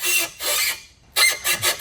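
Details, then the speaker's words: Honda S2000 with urethane suspension bushings, on a test drive: sharp high-pitched squeaks in rhythmic bursts as the suspension works, like an old Ford truck. "yeah. Sounds like an old Ford truck, doesn't it? Yeah. You get old Ford truck code in the driveway and it does that out of every single corner."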